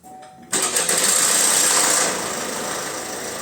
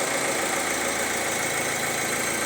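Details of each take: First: Opel Insignia B16DTH engine at 136,000 km, cold start: timing chain rattles briefly at startup then quiets; the clatter can now settle right away, while earlier starts kept rattling and got worse while running. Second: 2019-2020 Opel Insignia 1.6 B16DTH diesel, 136,000 km, fully cold start at 16°C in closed workshop: even steady running with no chain rattle or knock; chains and tensioners normal.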